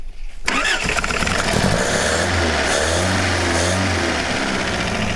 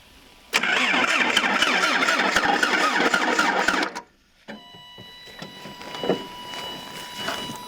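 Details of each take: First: 1977 Toyota Celica GT parked about 20 years, plugs oiled, melted belt removed: brief cranking then catches into steady even idle without misses or knocks; runs well as long as it has gas. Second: 1977 Toyota Celica GT liftback, parked about 20 years, some gas added: starter spins the engine steadily with even compression beats but it never fires; spark plug wires were left disconnected, and plugs possibly oil-fouled.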